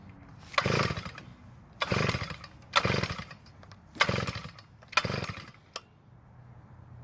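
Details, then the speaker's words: Earthquake tiller that won't start after storage, pull-start attempts: five rapid cord pulls about one per second with no catch or firing; no-start traced to water in the fuel. "Well, it didn't start, of course, but it also didn't do anything as a matter of fact."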